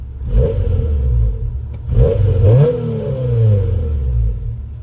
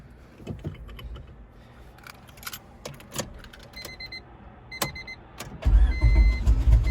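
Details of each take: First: 1999 Honda Civic EX coupe, B-series: two clean throttle blips rise and fall smoothly with a mellow, quiet exhaust note and no rasp; healthy, though the owner notes a little belt noise. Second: 1999 Honda Civic EX coupe, B-series engine: clicking and key handling, then the starter grinds briefly before the engine catches and settles into a steady idle; slow to fire, and the owner says it usually starts easier.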